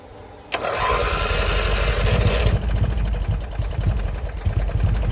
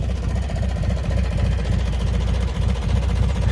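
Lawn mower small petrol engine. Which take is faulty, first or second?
first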